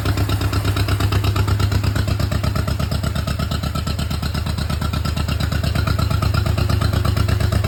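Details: John Deere Model M running after at least 15 years sitting in the woods, with fresh oil change and a rewired generator lead. Steady low chugging at about two beats a second, even and smooth with no knocks or misses; normal idle.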